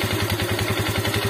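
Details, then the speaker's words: Motorcycle whose piston seized after running completely out of oil, at idle: steady idle with a sharp tak about nine times a second, slightly rough, fading when revved up and worse on cold start; piston slap from scuffed piston. "Dan kalau kita dengarkan lebih dekat lagi sini, kalau RPM stasioner ini ada kayak tak kayak gitu bosku ya, agak kasar tuh bosku suaranya ya."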